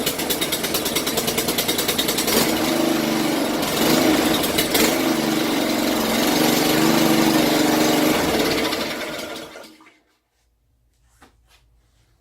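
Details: Honda 6 hp 2650 PSI pressure washer, sat outside years with suspected water in fuel, after oil, gas, spark plug change and carburetor cleaning, started on choke with starter fluid, no water hooked up: fires and runs a steady even beat about nine seconds.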